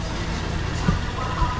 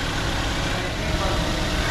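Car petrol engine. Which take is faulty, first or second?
second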